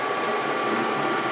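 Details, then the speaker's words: Brown & Sharpe 618 Micro Master surface grinder under troubleshooting: steady hissy rush with a fixed high whine, table pausing, slowing and speeding up at the same spot each time. Hydraulic pump aeration suspected. "See how it pauses? Pause, slows down, speeds up. Seems like it's in kind of the same spot every time. So I'm thinking potentially it may just be a flaw or an error in the hydraulic system."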